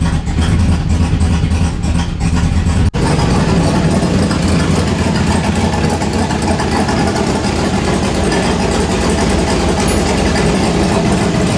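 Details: Turbo truck before dyno tuning, first start in a week after a MAP sensor fix: deep, loping idle with a slightly uneven beat that keeps running; the new cam is not tuned yet. Rough idle from untuned camshaft.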